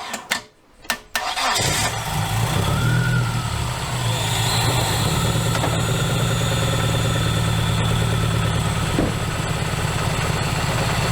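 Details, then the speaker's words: Dodge Neon ACR petrol engine, revived after nearly two years, cranks and settles into a steady, even idle with no obvious miss after the knock sensor was plugged back in and a leaking fuel injector was replaced. "that sounds more like normal that's good that's nice"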